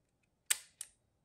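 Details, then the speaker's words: Konica IIIA 35mm rangefinder leaf shutter fired at 1/500 second, which uses a booster spring: two quick, crisp, light clicks a third of a second apart, quiet and clean; a healthy shutter release. "we're going to go to 500th of a second which actually uses a booster spring to kick the shutter to release a little bit"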